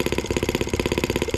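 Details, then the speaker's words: Small two-stroke driving the showman's engine generator, just started, quicker than expected, and warming up. Crisp, even popping at about twelve beats a second with no misses or stumbles; idling smoothly. "started up a lot quicker than i figured it would it's a great thing"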